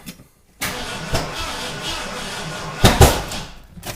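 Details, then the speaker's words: Freshly rebuilt carbureted engine on first fire-up before cam break-in: starter spins it, then a sharp heavy pop with a mist from the carb before it dies; cause unconfirmed. "Whoa! Did it pop out the carb, hun? I don't know, there was just like a mist of something."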